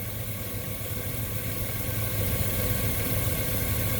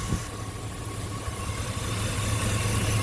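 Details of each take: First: 2000 Chevy Suburban 5.3 Vortec with P0304/P0303 misfires from a leaking fuel pressure regulator; with the regulator vacuum line plugged off, the misfires clear and it idles with an even, smooth low rumble and no stumble. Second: 2000 Chevy Suburban or pickup, 5.3L Vortec V8, codes P0304 and P0303, idles with an uneven, stumbling low beat; misfire from a ruptured fuel pressure regulator feeding raw fuel through its vacuum line, with fuel smell at the tailpipe.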